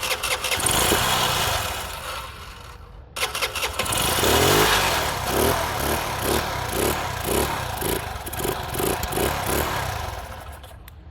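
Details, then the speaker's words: Engine with a second carburettor fitted: catches, dies, then runs lumpy at raised revs and half throttle, refusing to hold idle; idle screw missing its washer and rubber O-ring. "наотрез отказался работать на холостом ходу на повышенных оборотах на пол газа вроде бы работал"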